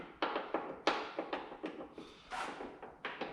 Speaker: all right so now that I've got the door off you can hear that clicking clacking